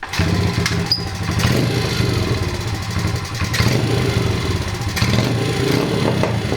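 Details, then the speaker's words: Modified 2003 Honda XR50 that sat outside, dying on throttle and not idling, after draining brown old gas and adding fresh: revs surge and sag with no steady idle, idling faster than before; carburetor suspected clogged, needing cleaning. "it's idling faster now than it was I bet you need to clean the carburetor I just can't avoid it can I"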